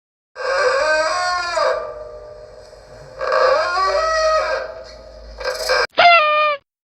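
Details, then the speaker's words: Bicycle hydraulic disc brake: three loud honking squeals that bend in pitch as the brake bites on the rotor. "네 맞습니다 디스크 브레이크에서 나는 소리입니다"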